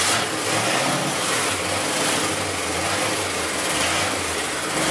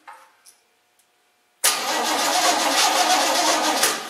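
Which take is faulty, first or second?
second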